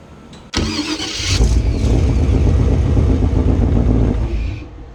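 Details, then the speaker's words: Chevy V8 after replacing the old starter that sat too close to the headers with a mini racing high-torque starter: quick, even cranking at about four beats a second, then the engine catches and runs; starter sounds strong and healthy, cranking faster than before. "Man, did you hear how clear that was? Man, that sounded good. Listen to how clean this starter sounds."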